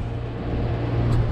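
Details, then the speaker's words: Compressor after repair, with rubber added and the unit raised so it no longer hits the steel frame, cover closed: steady, low, even hum with no rattling or metal knocking; running quietly and normally. "Umangat na siya ng konti para hindi tumama sa bakal. Kasi nagkakaroon siya ng vibration eh."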